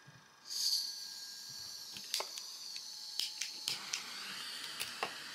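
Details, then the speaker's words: Homemade thermoelectric (Peltier) fireplace fan running without mains power: a high, steady whine with a faint buzz and light ticks as the small fan spins very fast, with its shaft slightly misaligned. Normal running. "哎，转的好快了！哎呀，能听到它的声吗？哈，哎呀，结果就快了。哎，能听到它滋的声儿。"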